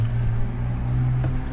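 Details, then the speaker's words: Toyota Camry V6 with VVT-i, cold start after cranking with the ignition disabled to push oil through the engine first: a quiet, steady low hum with no rattle or clatter; a clean, healthy cold idle. "like this and it’s quiet, it’s nice the engine doesn’t get its wear"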